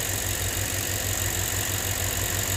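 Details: 2007 Lexus IS250 after fixing a crank-no-start, possibly caused by a backwards jump start (MAF, throttle position and ignition coil codes; fuses and a bolt were missing): regular, even idle with a steady hiss and no misfire; normal idle.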